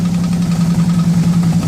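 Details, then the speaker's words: 2009 Harley-Davidson Ultra Classic Electra Glide V-twin idling after Jagg oil cooler installation, new filter and oil: deep loping steady idle, oil pressure built up, no leaks; the audible knocking is from something else, not the motorcycle. "Well, it's running. We're checking for oil leaks. I don't see anything pouring out. That knocking is that, not my motorcycle."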